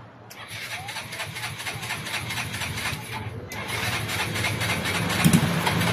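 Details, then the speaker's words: Stalled motorcycle recovered and brought to shop, oil changed, carburettor refitted, first start attempt with a small test wire to a big battery: sluggish, uneven starter churn about three turns a second, never catching; cranking too weak. "Guys, hindi kaya yan, malambot."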